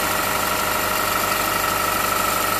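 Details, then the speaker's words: 2006–2009 Honda Civic Hybrid, 185,000 miles, idle right after serpentine belt replacement: smooth even idle with a steady high thin tone, no squeal or chirp; auto tensioner position unchanged and working, belt drive healthy. "Okay. Let's start this thing up. Yay, that sounds good. That sounds good."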